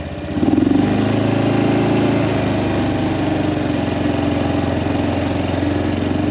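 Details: Kawasaki Prairie 400 single-cylinder ATV after engine rebuild, on a test ride, camera on magnetic base: revs cleanly, even steady thump under light load, no knocks; runs fantastic; carburetor float still needs adjusting; normal running.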